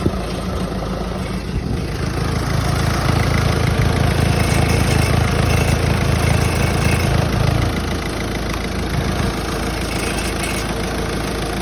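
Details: Peugeot 508 after a clutch swap, idling with a fast, uneven metallic rattle about three per second: the latching metal heat shield protecting the gearbox controls, not properly seated, detaches and rattles intermittently.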